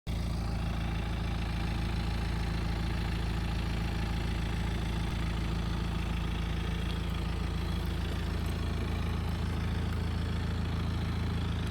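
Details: BMW 318d F31 with N47 diesel engine idling: low steady rumble with an odd regular pulse about three times a second; strange abnormal idle noise.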